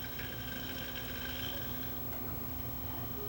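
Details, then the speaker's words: Record changer's small motor running with a steady howl and thin high tones over a low rumble; the motor bearings are noisy. "the bearings are noisy on this motor. I'm going to have to get into that motor."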